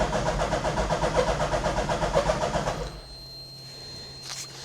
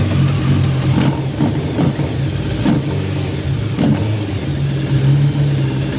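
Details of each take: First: Hayabusa-engined Nissan Micra, first start via hot-wired switch: starter turns slowly about four even beats a second, then dies without catching; battery dead, charging not yet verified. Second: Hayabusa engine swapped into a Nissan Micra, first run in car, cold with choke on, warming to temperature: crisp eager throttle blips over steady even idle, clean between revs, no dash warnings; a leak found afterward.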